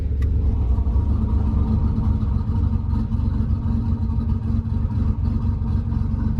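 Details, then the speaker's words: 1988 Nissan 300ZX Z31 project car at idle with QTP exhaust cutout held open: deep, loud rumbling idle with a steady throb and strong bass exhaust note; engine running healthy. "And now you can really hear, you know, how beastly this thing is. It's just nuts. And it just sounds amazing."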